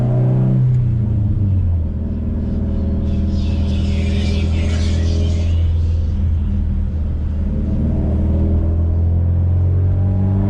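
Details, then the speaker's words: Subaru WRX STI on a test drive after the Kartboy solid rear end links were redone on a Faction Fab 22mm adjustable rear sway bar, previously clunking over bumps and turns: steady road rumble and drivetrain drone with no pops. The suspension is quiet over bumps. "I believe we have our problem fixed I've not heard any of the popping or any of the issues that I heard before"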